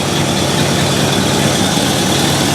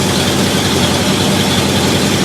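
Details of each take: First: 1968 Ford Galaxie 500 V8 with Holley carburetor, idle screw adjusted down from too high to about 550 rpm: loud, even idle holding level with no hunting, surging or misses; normal idle. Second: 1968 Ford Galaxie 500 with Holley carburettor set to base mixture screws, idle about 620 rpm versus target 550; steady fast slightly busy idle with even low rumble and no misses, idle set too high.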